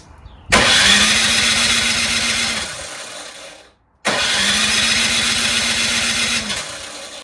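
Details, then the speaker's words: Troy-Bilt Storm 2410 two-stage snowblower, LCT engine, electric start: two roughly two-second bursts of starter whine with no firing at all, no sign of starting; primer feels disconnected, fuel apparently not reaching the carburetor. "Yeah. it's like, it's strange. This is what happened yesterday. Absolutely no signs of it starting."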